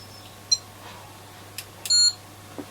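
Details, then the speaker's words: ESR meter testing a 4.7 capacitor removed from Sony ICF-2001D receiver during recap: brief chirp then loud steady quarter-second beep, flagging high ESR of about 5.6 ohms versus 2.6 for a new one; capacitor no good. "So that's got an ESR of like 5.6, and it's given like that noise. No good. It's strange. Those are all high."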